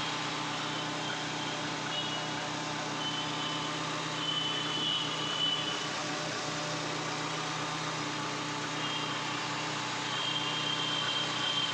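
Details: Hyundai Accent petrol DOHC engine at idle: uneven, stumbling beat from an intermittent cylinder misfire.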